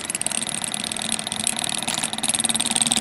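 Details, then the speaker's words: TK-Akula 3V device at about 60 mA with the ferrite core's retaining spring removed gives a high buzzing rattle with fast uneven chatter; the core halves vibrate, and separating them raises the frequency. "okay so it's definitely chattering right now if i separate the halves a little bit you can see that the frequency of that oscillation goes up"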